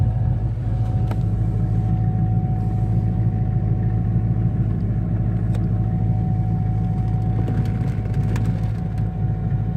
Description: Noise I'm hearing in the cabin of my c5 z06